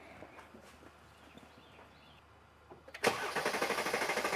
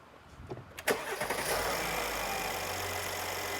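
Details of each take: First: 2017 Mercedes GLS 450 3.0L, codes P0016/P0011: starter clicks and churns steadily about three times a second before catching and settling; long crank, scope on crank sensor signal shows failing crank sensor. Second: 2017 Mercedes GLS 450 3.0L: crank under a second, fires and settles straight into smooth steady idle; normal quick start, signal much cleaner.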